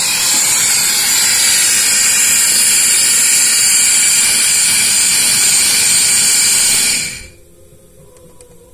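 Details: 1990 Ford F350 7.3 diesel, number 6 cylinder pressurised with shop air, rocker arms off. A loud, steady hiss of air leaks past the valve seat and guide. There is play in the guide; a loose guide or broken valve spring is suspected. Failed valve guide.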